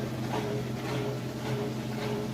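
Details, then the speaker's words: Kenmore washer on final spin with the lid open for demonstration. Fast, even spin hum over the steady drone of the drain pump, no knocking or scraping. Spinning normally. "running nice and fast in there again I can show you the pump is running as well that's what that noise is that way you can get the last little bit of water out but it's spinning nice and fast"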